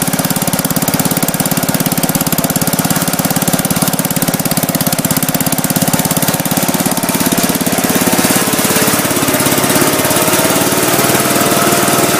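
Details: Gravely Commercial 10A with rebuilt Kohler single-cylinder (new governor cross shaft and gear, crank ground 10 under, new piston, rings, rod, gaskets, light hone), first start with snowblower attached: loud, even, steady beat, no misses or knocks; normal running.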